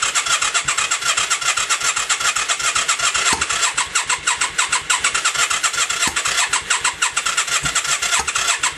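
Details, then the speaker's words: 1996 Yamaha XV535 after starter clutch replacement, battery charged, in neutral: starter cranks in a fast, even whirring rhythm without firing, occasional exhaust smoke puffs; on choke cranks slower, same result; crank no start. "See, we can get a little puff of the smoke out of the exhaust every now and then. The battery is charged. If I put it on choke, it cranks over slower, but the exact same thing does nothing."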